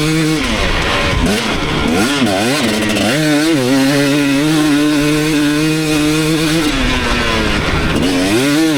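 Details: 2019 KTM 250SX two-stroke after Lectron Billetron 38 Pro tuning: crisp revs rising and falling cleanly, no pinging or hanging revs; carb at the sweet spot, only a tiny detonation heard once bike got hot.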